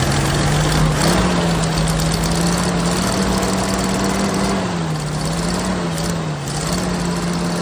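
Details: 1979 Jeep CJ5 after sitting since 2019, running on old tank fuel with carb/choke cleaner sprayed in: hunting, uneven drone sagging and recovering; rough running, owner suspects carburetor needs removing and tank dropping.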